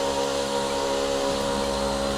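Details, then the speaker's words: DRYFT floor scrubber suction motor with tank on and hose squeezed: motor drone keeps the same steady pitch with no change, so the tank seal is leaking and suction is lost. "you can tell there's a suction problem, because the noise of the motor is not really changing as it should."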